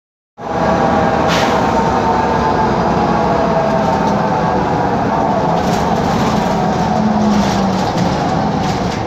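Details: 2013 Mercedes-Benz Conecto G articulated bus, OM457LA Euro 5 turbo diesel, ZF Ecolife 6AP1600B gearbox, ZF rear axle, on the move: loud cabin drone with a faint steady whine from a faulty, noisy differential.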